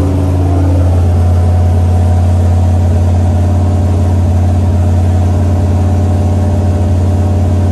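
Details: Chevrolet C10 with a 5.3 V8 long block stored 20 years, first start: a steady, even idle with a deep smooth burble, no misses, knocks or ticks; normal idle.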